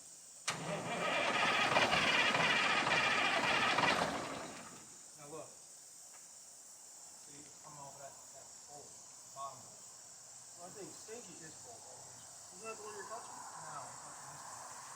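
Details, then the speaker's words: 1973 Mack R700 V8 (year uncertain, 73–74): injector lines cracked while cranking; starter churns steadily about three seconds without firing; owner suspects injection pump not working. "I don't think that pump's working."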